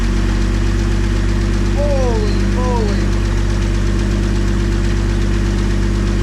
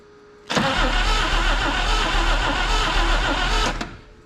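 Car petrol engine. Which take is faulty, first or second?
second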